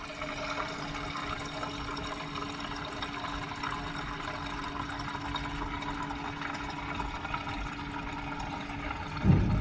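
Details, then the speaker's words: Lift pump in a K20-swapped DC2 Integra racecar filling the surge tank after fuel system cleanup from clogged injectors; pumps switched on manually from the keypad; steady pump hum with trickling fuel, microphone close to the surge tank; normal surge tank filling. "we'll get you on close and hopefully you can hear that surge tank filling"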